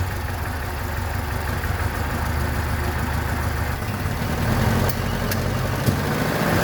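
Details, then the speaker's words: 1976 BMW 2002, Weber carbs, big camshaft, long-tube headers, ANSA exhaust, first run after 22 years: idle hunts unevenly and creeps higher instead of holding steady, timing running away. "okay problem I'm having is the timing just keeps running away I might have to oh go Google something about that"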